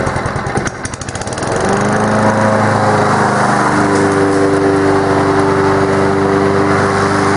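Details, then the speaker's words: Honda steel-deck lawn mower running after servicing: steady, even engine beat with a softer, mushier airy rush and deeper growl from the blades beneath the exhaust as clippings blow out the back; normal healthy running. "now another thing to note is the noise that it makes as you can hear here it's making a more mushy Airy noise it's like a I I can't really explain it's just make a deeper growl but beneath the uh exhaust sand of the mow"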